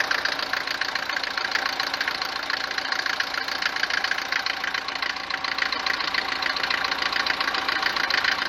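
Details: Mercedes 190 W124 diesel, recently on 10W40 oil, no oil consumption; sharp rapid metallic clatter over steady cold idle, louder than normal for Mercedes diesels, easing when warm; cause unconfirmed, injectors or pump timing suspected.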